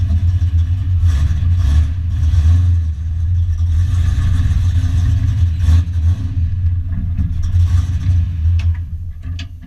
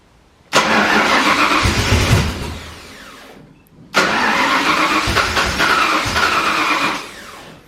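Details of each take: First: Foxbody Mustang notchback drift car running on a newly installed Holley Terminator X after a full custom rewire, with the idle screw and fuel tables adjusted. Deep rumble rises with throttle blips and settles; it catches and keeps running but still needs tuning. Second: Foxbody Mustang notchback freshly rewired with Holley Terminator X EFI, first start attempt at night: two long even cranking bursts, engine catching briefly but never settling into a run; crank, no start.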